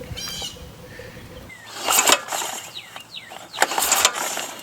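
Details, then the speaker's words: Abandoned 2002 Arctic Cat 375 4x4 ATV being revived: two pull-cord cranks, dry whirring rasp with no firing; it turns over, recoil sticking out, engine cranks but does not start. "Alright, so it does turn over."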